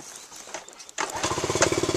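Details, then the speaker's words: Honda ST90/CT90 trail bike, under 1,100 miles in 30 years, long stored, carbon burnt out, points cover off, 12 volt conversion: catches within a second and settles into an even quick putter with no misses; normal start and idle. "In fact, I'll just even start it up here and hear the sound of it. Sounds really nice. Had some carbon in it."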